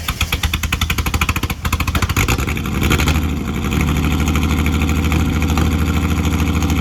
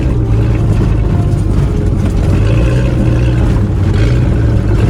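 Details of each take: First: Ford AU Falcon off-road build, first running after loading Ford map onto ECU: idles and revs with an uneven beat and occasional exhaust stumbles; a misfire the owner then fixed by changing spark plugs. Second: Ford AU Falcon off-road build on test drive in open field, day after changing spark plugs to cure a misfire: loud steady deep engine note, no misses or stumbles; pulling evenly and running clean.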